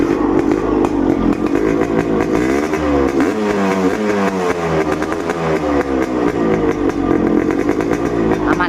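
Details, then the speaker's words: Suzuki Satria Hiu two-stroke with original Denso coil and CDI, battery at a steady 13.3 V, after an unstable idle problem: even idle with a blip that drops back cleanly, no hunting or stalling; idle stable and fixed. "oke nah kalian dengarkan aman kan tuh RPM langsung hidup tadi kan rpm-nya mati nih"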